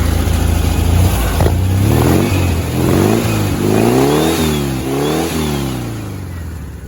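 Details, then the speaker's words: 1971 VW sandrail, fresh basically stock 1679 cc flat-four with 80 mm bore, progressive linkage: crisp free revs rising and falling smoothly, no misses or knocks; healthy, responsive. "runs super good run it down the street nice and smooth good power real sharp little sand rail"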